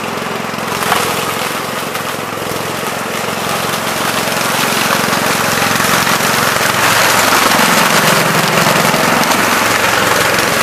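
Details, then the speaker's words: 1970 Gravely Commercial 8 single-cylinder after years sitting: brisk regular putter building slightly and holding steady without misfires; running decently, transmission oil shows some moisture. "so still running pretty decent i had to just carve just a spin there but uh looks like it's working"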